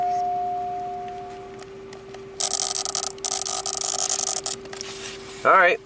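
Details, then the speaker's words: 1993 Cadillac Allante, hot, with a low oil pressure warning flashing: a relay chatters as a fast even train of clicks for about two seconds, then stops when pulled. This relay is the culprit; its circuit is not yet identified. "let me figure out which relay it is oh it's one of these this one right [Music] here let's see what happens when we pull it out"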